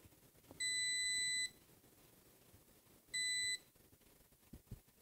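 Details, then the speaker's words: Original PS4 with white light of death, under HDMI port repair: a multimeter continuity test on the HDMI pins gives two clean high-pitched beeps, showing bridged pins. "now if if any of the pins are bridged we will hear the beep sound so let's go ahead and start testing"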